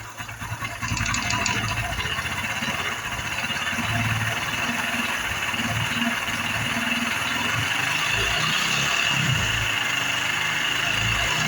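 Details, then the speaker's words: Honda Biz 110i that won't idle when cold, injection light on without code: loud rough mechanical rumble like a knocking rod through an uneven idle, clattering over the exhaust beat, at idle and riding. "Vocês perceberam, pessoal? Que ela tá com um barulho muito forte no motor aí, ó. Barulho muito perigoso, galera."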